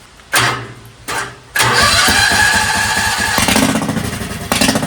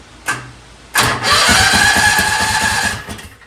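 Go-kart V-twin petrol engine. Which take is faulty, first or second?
first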